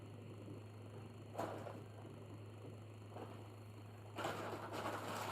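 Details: Dryer running after repair, having previously screeched loudly. Low steady hum with a few soft tumbling thumps and no screech; the drum runs smoothly.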